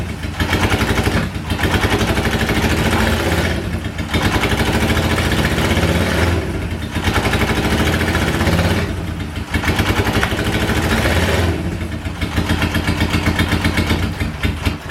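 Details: 1977 Honda Hondamatic barn find, long unstarted, choke on, carbs need adjusting; fires in rough two-to-three-second bursts, cuts out and picks up, then dies: hard starting.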